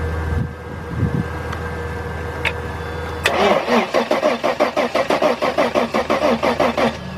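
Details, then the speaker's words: 1997 Mercedes-Benz E320 cranking with noid light fitted, showing no injector pulse; steady chug about three compressions a second that never catches; cranks, no start, cause not yet found. "now what the car does is cranks but no start I'm going to do a preliminary diagnosing of it"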